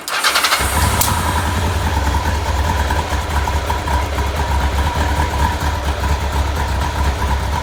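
Engine catches and settles into an uneven, lumpy idle with a wavering low beat; rough running, cause not evident.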